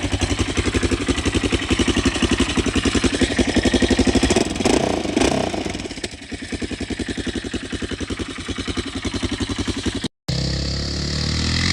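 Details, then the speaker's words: Wrecked Yamaha Raptor 660SE running with no muffler, extremely loud, with no smoke or knocking; loose front motor mounts rattle. Single-cylinder thump at a steady, fairly quick idle with a blip partway through and no misfire; runs normally. "But I'll start it up real quick and show it's not smoking anymore."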